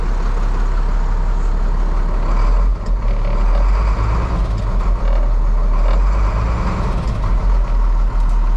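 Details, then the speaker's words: 1998 International 4700 DT466E diesel after the missing high-pressure oil pump ferry plug check ball was fixed: even, low rumble holding steady, no misses, knocks or hunting; feels like it runs pretty good; dash tach and speedometer not working; normal idle. "but it it feels like it's running pretty good"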